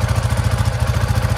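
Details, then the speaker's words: Coleman UT400 engine at idle after the loose exhaust was tightened. It has a steady, even low putter with no clatter, back to normal idle as it's supposed to sound. "yep that was it that's how she's supposed to sound"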